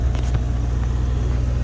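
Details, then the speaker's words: Ford truck at idle after replacing the passenger-side exhaust manifold and sanding the pitted head exhaust ports for a seal: deep, steady, even rumble with no puffing or ticking; sounds much better than before. "Either ways, that sounds much better than what it did sound like"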